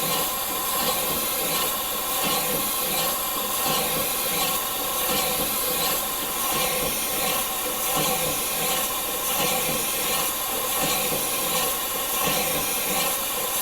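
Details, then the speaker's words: Morey vertical slotter cutting internal keyways in manganese bronze worm gears after moving the Kool Mist sprayer back: even hissing cut, a stroke about every second and a half, no chatter or squeal; sounds much better, coolant reaching the tool. "I will go back to cutting well that sounds much better like it's actually getting cutting fluid"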